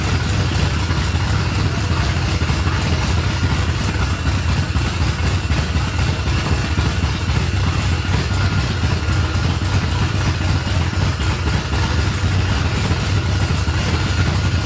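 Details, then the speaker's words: 1989 Ford F-150 V8: lumpy, choppy idle at about four pulses a second, like a dead cylinder or big cam, engine loud overall; rough idle. "all right I don't know why it's running like it's got a hog ass cam it sounds like we got a dead cylinder or something we got to figure out yet"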